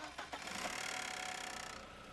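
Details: 2001.5 VW Passat 1.8T automatic, 98,500 miles: fast, light metallic rattle and tick at idle over a quiet motor; the cam chain tensioner was going bad, and replacing the chain and tensioner fixed it.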